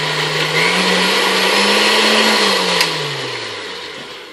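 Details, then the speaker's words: Vintage KitchenAid 4C stand mixer after a service and reassembly with the handle and clip refitted: even motor hum holds steady for a few seconds, then winds down smoothly with no grinding; everything works. "I'm going to go ahead and unplug it now that we know everything works good."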